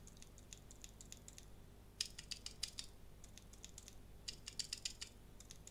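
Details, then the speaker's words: Arcade stick buttons, the original button and then a modified Sanwa with a silencer pad installed: two quick bursts of soft, muffled clicks with no sharp snap, the pad damping the click well. "There's the original button from the arcade stick, and here's a modified Sanwa with the silencer pad installed."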